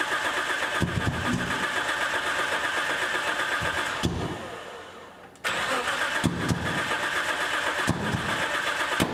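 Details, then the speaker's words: Nissan S14 on a new AEM Infinity ECU with Auto Dream CAS, timing synced at 20 degrees: starter cranks at a steady rapid pace, pauses, cranks again but never catches; fuel pumps go quiet and ECU signal drops out (owner suspects intermittent ECU connectivity). "I don't hear fuel pumps anymore we lost signal again what is going on"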